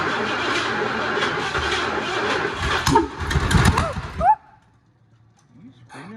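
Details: 1979 Ford F350 Ranger XLT 4x4, possibly 351, first start after 40 years sitting, new carburetor: ragged, uneven firing with irregular surges for about four seconds, then cuts out.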